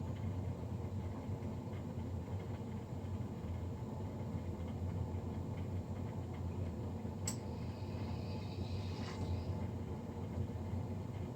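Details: Navien NCB-240 boiler recorded three days after a Jan 31, 2020 service: constant low roar and rumble without a break, far louder than a normal boiler fan; loud combustion fan noise, cause unclear.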